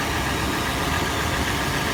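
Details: Toyota FJ on warm start, initial warm-up at idle: steady idle with dense, fast clatter throughout; engine clatter, source not pinned down.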